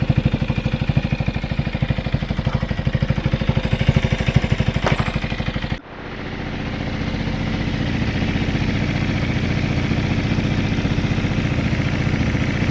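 Small single idles with an even, steady beat, briefly dips and settles; no obvious tick on top, sounds healthy now.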